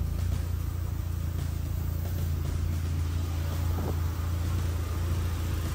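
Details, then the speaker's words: VW Mk1 with 1.8T swap and MagnaFlow exhaust: steady even low rumble at idle, no knocks, ticks or misses; quiet engine running healthy. "MagnaFlow exhaust doesn't really make noise cars running healthy"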